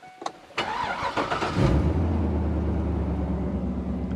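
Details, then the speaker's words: 2004 Chevy 2500 with 6.0 engine, cold start: starter whirs briefly, catches within a second, settles into steady even low idle; uneventful start, exhaust considered inadequate. Normal cold start. "That's uneventful. We need better exhaust on this pickup."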